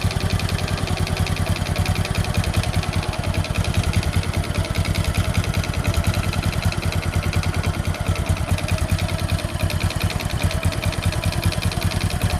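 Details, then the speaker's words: Honda Supra X 125 single with rough engine noise, before repair: idle thumps unevenly, beats wandering in strength and spacing; unstable idle attributed to the carburettor idle circuit. "Guys di sini terdapat permasalahan yang mana ransamnya susah kita spel dulu ini permasalahan untuk langsam ada di karburator"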